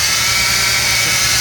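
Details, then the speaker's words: 2006 Jeep Grand Cherokee Laredo at idle: loud steady high-pitched whine with a gritty edge from worn serpentine belt tensioner pulley bearings, which grind inside; the whole tensioner assembly is replaced. "It's making a huge loud noise when you start the engine, like something like a whining noise."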